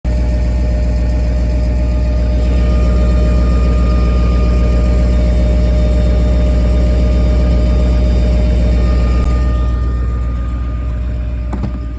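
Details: BMW E38 740i fuel pump giving a steady high whine over a low hum, working at maximum power because a clogged fuel filter makes it hard to draw fuel; check the fuel pump filter first.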